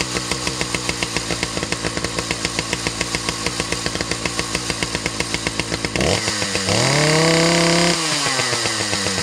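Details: Husqvarna 2100 CD 100cc two-stroke chainsaw, 32-inch bar, no chain brake: fast uneven idle around 220 beats a minute then blubbery rev-up; idles a bit high so chain keeps moving, runs a little rich.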